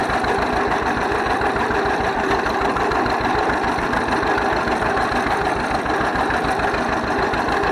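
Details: 1931 John Deere GP tractor started after a carburetor repair: steady, even low thumping of the slow twin at idle, evenly spaced firing with no knocks or misses; healthy running with slight smoke.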